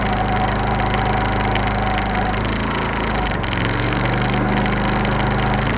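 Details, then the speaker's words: iQ3500 generator, previously no spark, after repair, idling at 1500 watts: even, quiet hum at steady speed with no surging, knocking or misfires; running properly. "Now that is super quiet. Now that's the way it idles of 1500 watts, so you can tell a little bit about the surge."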